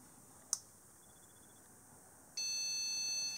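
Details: VLB graphics card with a black-and-white colour glitch, started cold: a click, then a long one-second POST video error beep. It works when warmed to 45–50°C, so a micro-cracked, defective RAMDAC is suspected.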